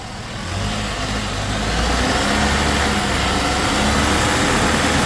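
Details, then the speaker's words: 2011 Nissan Rogue CVT, about 62,000 miles, on a lift with wheels spun up in gear; steady low droning growl with a rough grinding edge, heard on more than one wheel: worn wheel bearings. "up yeah this one you could definitely hear oh this one too"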